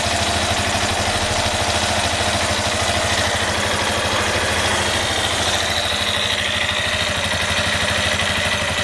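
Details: Yamaha Fazer 250 single-cylinder motorcycle idling: a rapid, uneven ticking knock over the exhaust beat from the engine; a connecting-rod problem is suspected but not confirmed.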